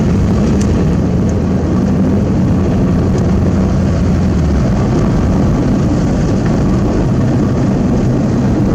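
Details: Old $500 Toyota Corolla after new fuel pump, fuel filter and air filter were fitted: steady, even low rumble with no misses, knocks or surging while idling; normal running.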